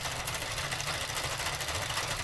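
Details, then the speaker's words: Sentro/Miaoke 48-needle hand-crank knitting machine while cranking: rhythmic clattering with a thin repeating squeak, attributed to internal wear. "And you can hear that squeaking. That's how much it's worn in on the inside."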